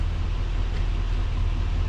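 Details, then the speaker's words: 2020+ Chevrolet Silverado after temporary zip-tie fix (several ties, taped) for steering column knock not cured by dealer intermediate shaft replacement: steady low idle rumble, no clicks or knocks from the column. "oh and just for proof you got it here it is no more clunky clunky all gone"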